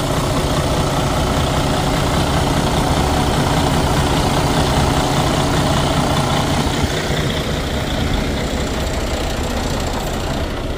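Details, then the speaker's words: Detroit DD13 diesel in a Freightliner Cascadia, after replacing the failed fuel rail high-pressure sensor with a used one: steady, even idle rumble with a smooth regular beat, no stumbling or knocking; engine runs fine after repair. "Well, the engine run fine."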